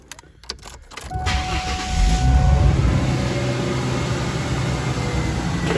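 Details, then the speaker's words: 2001 Mustang whose AC had failed only above 80°F, after resoldering bad joints on the CCRM relay module, started in a 92°F garage: steady idle, compressor cuts in with a smooth even hum, AC working perfectly. "in the garage right now it's 92, and I just fired this thing up. Still works perfect."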